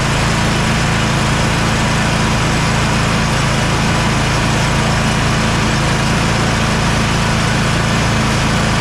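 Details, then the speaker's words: Kohler KT745 (7000 series) twin on Bad Boy zero-turn mower after ignition coil replacement, run about half an hour with blade engaged: even, steady drone without misfire; running normally. "we're going to put this back after running it for about half an hour everything worked perfect blade still engaged"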